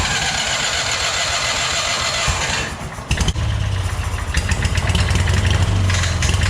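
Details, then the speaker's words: Hobart welder generator from a scrapyard, not run for many years: brief stall and restart, then rough uneven running with irregular clattering; a loose bolt was later found sticking into the fan, cause not confirmed. "oh um i don't know what that is that's i heard this engine run i swear to god i heard this engine run once before i could not tell you what that noise is tell you what though it doesn't sound good"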